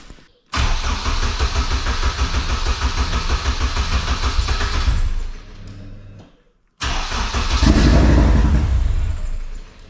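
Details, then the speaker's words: AWD Civic Type R build, first fire after new wiring, intercooler piping and fuel fitting, no cooling system fitted: fires straight up, holds a raised idle, stops, restarts cleanly and revs smoothly; healthy start, idle not yet settled. "um I'm curious if we let it run long enough if it would idle down over but I don't think we can let it run long enough with no cooling system"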